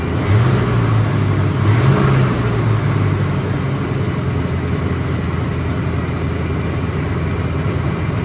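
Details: Forgotten Chevy C10 V8, first run in over a decade after new starter, wiring, ignition and rebuilt carburetor: deep even rumble with throttle blips, no knocks or misses; healthy running, gas tank leaking.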